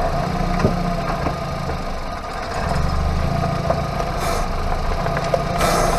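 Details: Hyundai Avante MD, underbody hub bearing noise while rolling: low steady droning growl holding a constant hum with road rush behind it; wheel bearing noise.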